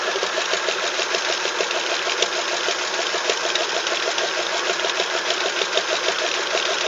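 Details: Vintage Toro golf-green tractor mower, later an airport tug, started on jumper pack; quick, even ticking beat over a steady engine note, holding speed without misses or stumbles; running fine.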